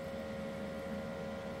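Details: Anycubic Photon M3 Max auto-feed air pump giving a quiet, steady mid-pitched hum at constant speed with no rattling, after the resin bottle cap washer was refitted: pressurising normally, resin now flowing.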